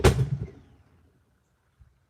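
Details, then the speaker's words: BMW E36 M42 on new Microsquirt standalone ECU, cranking at 10 degrees advance: one sharp loud backfire bang dying away in about half a second, then a faint knock; engine speed signal confirmed working. "Yeah, you heard that backfire. All right, so engine speed is working."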